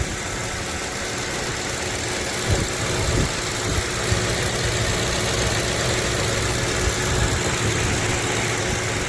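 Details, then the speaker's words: 2011 Ford Crown Victoria LX V8, 105,000 miles, hood open with mic close to the engine: even, smooth low hum with no misses, ticks or knocks. No codes, no ignition or fuel issues since 42,000 miles. Normal idle. "ever since I've owned her she's always had uh ignition on all eight cylinders I haven't had any ignition issues or any fuel issues or anything like that since I've owned it"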